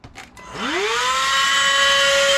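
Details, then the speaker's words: Battery-operated mini vacuum motor after opening and lubricating it: spins up quickly to a steady, even whine with no rattle, grinding or hesitation; sounds like new after lubrication fix. "sounds exactly like it did when it was new can't beat"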